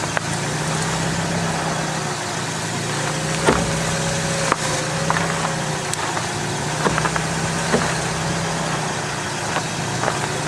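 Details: Front strut on the ground, microphone down by the front wheel and spring, cold weather, wheel steered at idle: sharp irregular snaps and low groan as the strut mount bearing binds instead of pivoting; failed strut mount bearing.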